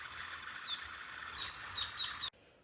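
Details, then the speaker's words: 2005 Jeep Grand Cherokee 5.7 L: an old, not-yet-replaced idler pulley spun by hand gives high, bird-like chirps and squeaks over a dry hiss from worn bearings, unlike the quiet new pulley. "This one right here hasn't been replaced yet, and listen to"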